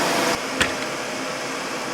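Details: 2003 Mercury Sable 3.0L SOHC: steady, even idle hum with no misses, knocks or ticks; fuel pressure about 40 psi at idle; normal idle.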